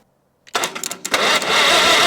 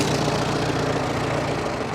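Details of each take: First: 1945 Farmall H tractor, long sitting, first start attempt with fuel leaking from the bowl and a holed exhaust: cranking bursts into a loud ragged roar with sharp pops twice; big backfire. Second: 1945 Farmall H tractor, long sitting, running: smooth, very quiet, even idle with no misses or knocks; normal idle.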